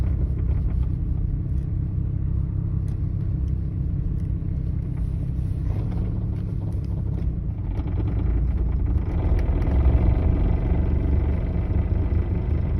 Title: 850R weird noise